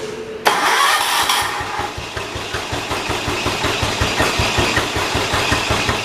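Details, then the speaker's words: John Deere 212 tractor single-cylinder after the starting problem was found: catches after brief start, settles into steady even putter at slightly high idle; running fine. "still throttles up a bit high but it's idling real good"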